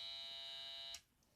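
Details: Pirat pulse-induction metal detector, powered from a battery instead of the power converter, with resistors at minimum: a steady high false-signal buzz that cuts off abruptly and no response to metal. The converter is ruled out and a faulty search coil is blamed.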